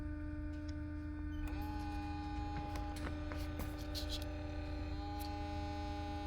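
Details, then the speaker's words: Porsche Cayenne V6 diesel (shared with Touareg/Q7), actuator test via diagnostic tool after DPF cleaning and returning no-power fault: EGR coolant pump runs with steady electric hum and thin whine rising and settling; works but sounds unhealthy. "it's a EGR cooling pump it's working doesn't sound healthy but it's working"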